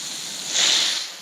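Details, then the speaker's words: Freeze Miser setup on outdoor faucet with Y valve open when water is turned on: short hiss swells and fades over about a second as trapped air purges from the line ahead of the water. "It'll purge the air out of the line."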